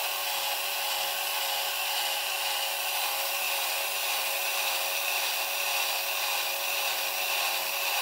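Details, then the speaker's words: Marks & Spencer Insect-a-zoid robot (model 4218) gearbox after the fix, pinion gears moved about 1 mm up the motor shaft so they no longer rub the crown gear teeth: a steady, even high-pitched whir with no rubbing or grinding. "so we'll give it another little run so you can hear how quiet it is now so here we go again and this time it should be much quieter"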